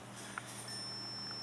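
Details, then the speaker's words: Generic 279816 Whirlpool dryer thermal fuse, tested out of the box with a multimeter: a steady high continuity beep holds when the probes touch; fuse conducts and is good despite a raised, popped-up look. "kind of weird you can hear that tone so we'll play around with it I guess try to get it installed and see what it does but both of them appear to work just fine for now"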